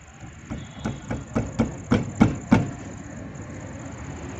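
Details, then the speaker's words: Suzuki Ravi, jacked-up left wheel rocked by hand: sharp knocks about three a second; wheel bearing very loose with excessive play, causing noise from the left wheel on rough roads; bearing to be tightened. "ये अब में bearing delay हैं दोस्तों, जिसकी वजह से ये आवाज़ कर रही थी।"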